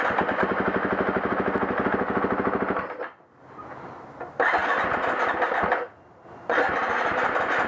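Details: 2011 350 XC-F with hard starting: repeated bursts of fast, even starter cranking, each about three seconds with pauses between, and the engine never catches.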